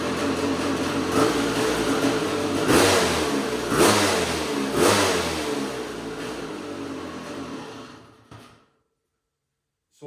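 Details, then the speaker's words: KTM 250 SX two-stroke engine in custom Outlaw quad: crisp revving with speed surging and sagging about every second; owner suspects an air leak, possibly the power valve not rebuilt with new O-rings. "but do you hear that little fluctuation in RPM? It almost makes me believe that it is getting a little bit of air somewhere."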